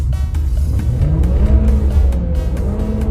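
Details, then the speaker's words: After repair of loss of power, in neutral following a test drive on a closed road, the engine sweeps smoothly up into high revs, needle past the top of the gauge, clean rising note, no stumble or misfire; problem solved. "哇，已经爆表了，看到没有？看来问题已经彻底解决了。"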